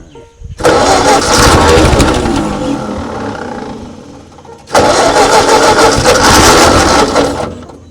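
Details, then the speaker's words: 1939 Ford tractor left in a field 20+ years, revival attempt with hand choking and throttle set low: two bursts of the old engine catching and running roughly for a few seconds, then fading; choke and air still need adjusting. "All right. She ran for just a second. Well, it's just a matter of getting the air and the choke and all that fun stuff."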